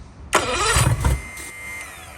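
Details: Marketplace boat, compression about 100-110, leaking fuel line bypassed with temporary direct connection, run without cooling water: under a second of coughing cranking, never catches; cranks but won't start, owner suspects fuel delivery, wonders about a fuel pump.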